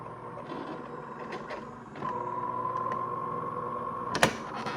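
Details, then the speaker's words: DeLonghi fully automatic coffee machine: thin steady squeak over the machine's whirr as the brew unit travels; cause is the dry lift rail (mainly the rear rail), fixed by oiling it. "有没有听到一个怪怪的声音？其实主要的问题就是在升降滑轨的问题。"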